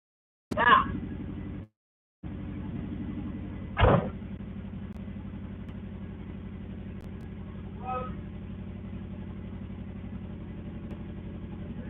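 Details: Subaru after oil change, on jack stands in neutral, oil pump primed first: engine catches after a brief crank and settles into a steady even idle with no knocks or misses.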